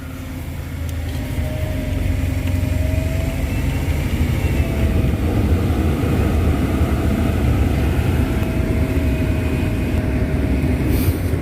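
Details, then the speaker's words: Quiet AC blower on a BMW 7 Li after evaporator cleaning: steady low rumble with soft airflow hum, no rattle or scraping. The motor noise heard before the work is completely gone. "이게 아까 처음에 났던 소리는 이제 전혀 안나요"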